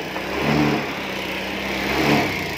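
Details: Honda Beat FI 125 scooter, whose stalling was traced to a corroded spark plug cap: small single-cylinder engine runs steadily through two smooth throttle blips, no misfire or cutting out; sounds healthy.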